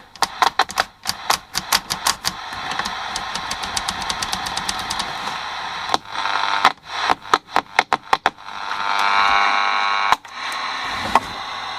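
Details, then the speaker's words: Copal fluorescent display clock radio with a dusty flat potentiometer volume control: sharp crackles and pops over radio hiss as it is turned back and forth, during cleaning; buzzing on FM. "And yeah, it's one of those little flat potentiometers. That's better."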